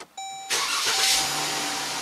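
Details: Jeep Grand Cherokee 2015 with intermittent no-crank/no-start, battery light and codes for generator field circuit and main relay; after cleaning a cable connection, a chime then a brief strong crank catches at once into steady idle; normal cranking and start.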